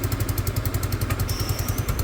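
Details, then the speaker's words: Peugeot Tweet scooter with a new ignition, being finished for sale; quick, evenly spaced pulses at a steady idle, no misses or knocks, though the idle is a bit low. Normal idle. "the engine sounds good"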